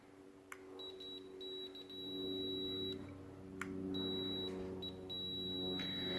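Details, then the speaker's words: Multimeter continuity test on a switch for a Skylark lowrider switch box: high tone stutters and cuts out instead of holding, indicating a bad switch to be replaced. "you guys can hear that beep, it kind of scatters. Well, this is a bad switch."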